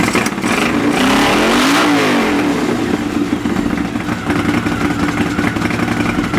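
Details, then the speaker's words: Honda CX500 café racer twin during carb colortuning: blips, then an idle that stumbles as one cylinder drops beats. Cylinder two doesn't ignite as often as it should, an intermittent misfire; the owner notes a known CX500 issue of cylinder two kicking in late; cause unconfirmed. "so that was interesting number cylinder number two is that off before I take out cylinder number two doesn't seem to ignite as often as what it should"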